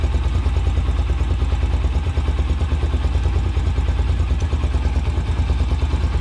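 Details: Single-cylinder bike carburetor, idle mixture screw turned fully in then set for maximum idle rpm: a steady idle thump of about three beats a second, slightly uneven as the screw is adjusted; idle speed change.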